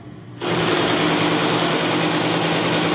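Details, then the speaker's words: Bitron diesel fuel treatment extreme-pressure test rig, race bearing in diesel with additive: a steady rough hiss over a low hum with much less squeal than straight diesel, before pressure is applied. "you can even hear that the sound actually changed a little bit it's not squealing anywhere not like as much as it was before"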